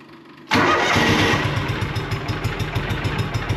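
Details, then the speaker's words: John Deere Gator 6x4 sitting since 2014, now with fuel reaching the carb and oil checked; cranks briefly, then catches and settles into a steady, slightly uneven idle; engine starts and idles. "holy moly and just I did check the oil when I looked at it so I know it's got oil that's a good little engine"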